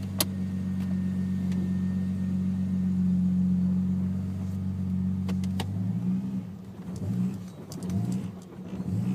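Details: Ford BA XR6 Turbo six-cylinder at idle: starts fairly steady, then surges and dips unevenly in the last few seconds; engine hunting and running rough.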